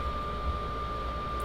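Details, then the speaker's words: Wallas 85Dt diesel cooktop/heater in a 1987 Unimog camper just after switch-on: steady whirring with a thin constant whine near one kilohertz over a low hum, louder than the oven. Normal burner fan startup while the glow plug preheats. "A little bit louder than the oven. This is gonna take a few minutes to actually heat up and turn on. Just like a diesel vehicle, the glow plugs have to start up and warm up."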